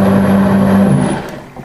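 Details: Sewage grinder pump after repair and reassembly: steady low motor hum with a thin high whine, running evenly before winding down; the pump is working normally.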